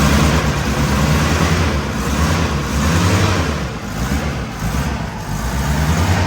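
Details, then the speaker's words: 1977 Toyota motorhome, engine fired up after sitting parked for months, possibly flooded: low surging idle swelling and sagging every second or so with a loose buzzy rattle, from the air filter housing, its mounting bolt lost. "Turns out the reason it sounds so bad is I've lost a bolt that connected the air filter to"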